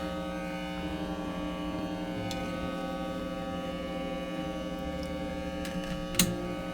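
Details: 1934 Crosley Model 179 tombstone radio, signal tracer noise during repair: steady low buzzing drone with higher whining tones layered on top; heavy mains hum, with a broken capacitor wire and a stiff, possibly bad volume control noted.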